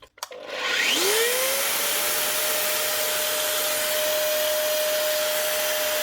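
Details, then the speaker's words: Metabo MFE40 twin-blade wall chaser, older unit in for repair: motor spools up with a rising scream at startup, then holds a steady high whine; worn bearings suspected, not confirmed. "A little bit of a scream out of it as it starts up. So unless this could have bearings as well gone."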